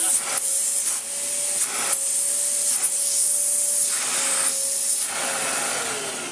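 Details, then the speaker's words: Kärcher VC3600 commercial vacuum cleaner run without bag or clogged filter: loud airy rush with steady tone near 600 Hz cutting out in bursts, an intermittent motor fault; otherwise runs well with good airflow. "Does do that as well, which is a shame because it runs beautifully otherwise, and I'm sort of hoping it clears itself up a little bit."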